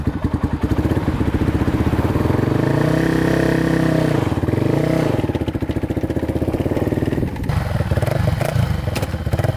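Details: 2006 Polaris Outlaw 525 quad after carb clean, outdoor run with gauge at 96°F; steady single-cylinder thump with even firing and brief rev rise, lots of power. Owner suspects weak battery only. Normal running.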